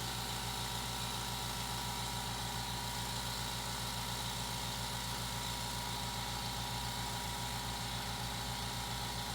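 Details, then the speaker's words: New California Air Tools 8010A quiet air compressor running, measured at 67–68 dB: a soft, even motor hum with light hiss and no knocks or rattles. It is much quieter than the noisy previous compressor, and it runs normally. "The difference is remarkable. So there you have it. The new air compressor is much quieter at 67, 68 decibels."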